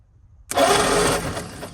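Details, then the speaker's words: 1940/41 Ford flathead V8 truck, parked about 50 years, cranking during a compression check: slow, uneven cranking with weak, irregular puffs. Only two of eight cylinders have compression; stuck valves suspected. "no compression on this one no compression on this no compression on this one so we them three don't have compression that's not a good sign but I'm sure it's just stuck valves"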